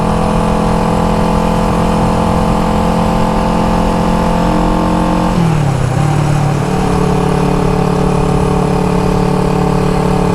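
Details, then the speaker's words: 1974 Honda CB360 twin cruising at steady throttle after a points adjustment. The drone briefly stumbles and dips in pitch, then recovers: the sputter returns. Owner suspects junk in the carburetors, which have not been cleaned in a while. "Let's see if I can sit here and just coast. Or just cruise, I should say. Yeah, now it's sputtering again."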